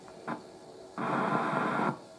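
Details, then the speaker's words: Unrestored Crosley model 58 Buddy Boy radio at first power-up: dull hum, then about a second of harsh crackling hiss from the speaker that stops abruptly; loud static noise, the set needs restoration. "that doesn't sound good"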